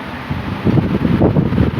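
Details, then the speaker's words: 1950s Wizard 6JC3020 20-inch box fan before restoration, on high speed: steady rushing airflow with some buffeting, no hum or rattle from the motor; runs strong and healthy. "Fan is very powerful. It's good. Motor's good and strong to it. Good and strong."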